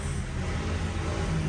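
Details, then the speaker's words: 2014 Hyundai i30 after replacing steering bushing with original part to remove play: steering quiet with only even low road rumble, no clunks or knocks from column; noise and play gone. "Vamos dar partida aí. Beleza. Acabou o barulho. Acabou folga. Tá zero de novo."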